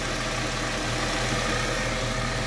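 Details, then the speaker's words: 2002 Chrysler Sebring convertible 2.7L at idle, belt newly tightened: steady idle with faint persistent whirring; owner suspects a failing pulley bearing; abnormal noise at idle. "I tightened up the belt which means there probably one of those bearings is getting ready to go out in a pulley or something so that's the first time the belt's been tight in a very long time so maybe it'll come around"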